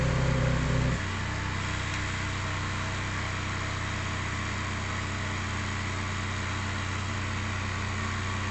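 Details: VW Mark 5 Golf 1.9 TDI PD105 (BKC engine) after turbo replacement and EGR valve/cooler delete: even, steady diesel clatter at idle with constant low drone, no knocking or hissing leaks; idles smoothly, no leaks.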